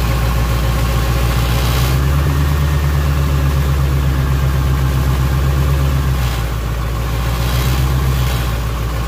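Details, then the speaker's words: 1988 GMC 7000, 8.2L naturally aspirated Detroit diesel, running again after a died-while-driving crank-no-start was fixed: steady, even low idle rumble with no knocks or misses. "whoo listen to that Detroit power"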